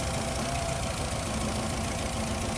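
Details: 2008 Nissan Rogue with P0300 misfire code, before repair: shaky idle with uneven, rattly beat instead of smooth hum; cylinder misfire found caused by a failed ignition coil, fixed by replacing coils and spark plugs.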